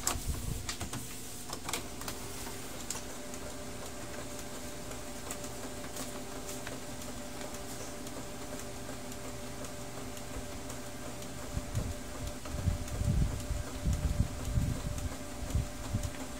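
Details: Canon G2010 inkjet printer after fixing the P22 scanner error: a normal print cycle with a steady motor hum and clicking carriage movement; the page prints, though the cartridge may need cleaning.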